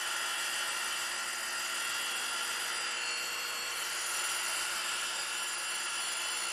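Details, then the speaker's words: 100 grit Radiac wheel grinding a pin under 0.150 in diameter sticking out 1.8 in without support, traverse slowed: even steady high hiss with no pulsing or chatter; smooth, stable grinding. "sounding good I'm just slowing my traverse as they get out there a little bit more in the Y giving it more time to cut"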